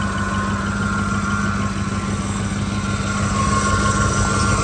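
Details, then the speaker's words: 2005 Ford Expedition V8 on the road again, check engine light still on: steady idle with a light tick about three times a second; source unknown, owner wonders if it's the alternator. "It's working! Why are you ticking? What is this noise?"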